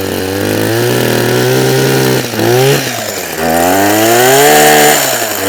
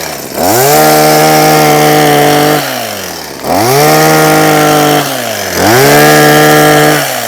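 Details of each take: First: Husqvarna 123HD60 hedge trimmer that hadn't been used for a long time: buzzy two-stroke surges and sags, pitch wandering instead of holding steady; rough running and hard starting from fuel starvation, diaphragm suspected. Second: Husqvarna 123HD60 hedge trimmer, long unused, after fitting a new carburetor diaphragm: five clean throttle blips, each rising smoothly to a steady high whine and falling back to idle without stumbling; it runs healthy.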